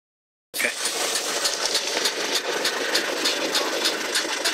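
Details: Mazda CX-7 diesel idling after about 10 minutes' driving: light, fairly regular tick, three to four a second, over engine hum; lasts 1–2 minutes, then sporadic, then stops. Cause unknown.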